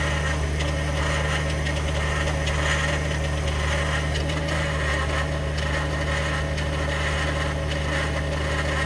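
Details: 2021 Ford F150 PowerBoost remote cold start at about minus 20: steady low drone with a faint gritty churning roughly once a second, a cavitating or grinding noise with no clear cause yet.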